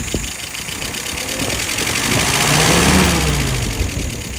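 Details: WO 539S after throttle shaft repair for a sticking throttle: engine blips up smoothly and drops straight back to idle without hanging; throttle returns freely, engine runs clean; normal throttle response.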